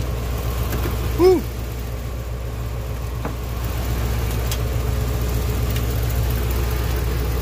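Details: 1988 GMC 7000 with naturally aspirated 8.2L Detroit diesel, running again after a crank-no-start (died while driving): steady, even low rumble, no misses or knocks, one brief chirp early on; healthy normal idle.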